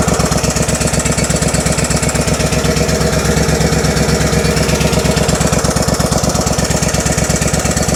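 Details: Kohler engine on a Simplicity Stallion zero-turn mower after head gasket and rebuilt carburetor work, just fitted with a new muffler: steady, even firing pulses at fast idle, no misses or knocks; runs smoothly.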